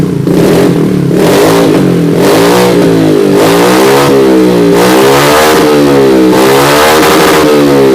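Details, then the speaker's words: Yamaha Mio J fuel-injected scooter after throttle body, injector and ISC sensor cleaning and ISC reset by key cycling three times: starts and revs in repeated smooth blips, no stumbling; normal start and rev. "Kita starter. Coba kita belayer."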